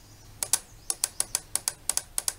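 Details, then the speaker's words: Yamaha F90 outboard fuel injectors removed and bench-powered from a 12 V battery, all four at once: sharp crisp clicks in quick pairs, normal; tested because oil level rising, suspected fuel in oil. "entend les injecteurs qui claquent alors on peut déjà les faire un par un"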